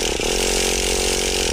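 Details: Traxxas Rustler nitro engine, fuel primed, electric starter: even, fast buzzing crank with no firing or catching at all; no start.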